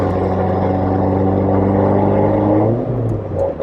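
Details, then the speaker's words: 1970s Datsun 120A Cherry F-II, driving under throttle: the engine note climbs, then sags as the revs run ahead of the pull. The clutch is slightly slipping. "the clutch is slightly slipping which is hindering our putting our foot down somewhat"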